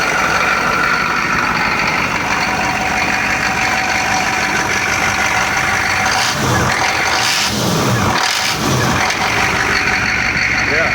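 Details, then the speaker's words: 1993 Chevy 2500 turbo 6.5 diesel after fitting a new DB2 injection pump, which replaced a faulty, smoky pump. Smooth, strong idle with a brief throttle blip midway and no misses or rattles. Normal, healthy idle. "Idle's a lot smoother, a lot healthier."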